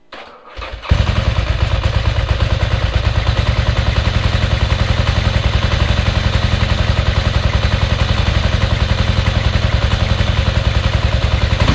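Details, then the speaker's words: 1992 Ducati 900SS, fuel pump on with a little choke: catches into uneven lumpy idle with irregular pulses, firing on only one cylinder due to a bad spark plug. "I know it sounds good, but also, just so you know, it's only hitting on one cylinder right now. It's got a bad plug in it."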